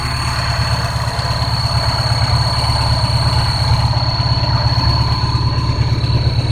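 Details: Škoda 125L engine at rough low idle: steady high whistle above it, unchanged through light revs; source not found.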